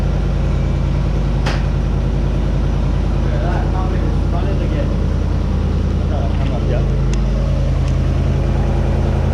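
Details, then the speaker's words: Land Rover on its first start-up after the engine was rebuilt (cooling issues noted): even, steady low rumble with a smooth beat and no knocks or ticks. It runs sweetly. "knocking no nothing run sweet um"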